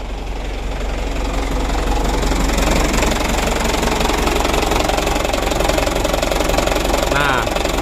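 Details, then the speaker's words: Second-hand Mitsubishi Canter diesel truck at idle: coarse, fairly even knocking at about three to four beats a second. Mechanic suspects the injection pump timer, then the pump bearing, or the timing gears; unconfirmed. "saya teman-teman ini sumber suaranya ya dari bospomnya dari suaranya ya analisa kita yang pertama dari timernya jadi timernya dan kedua bearing"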